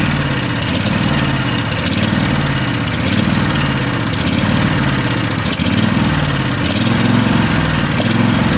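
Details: Craftsman riding mower at idle, choke still on, fuel leak suspected from the carburetor: loud, lumpy idle with an uneven, loping, surging beat. Still running on one cylinder.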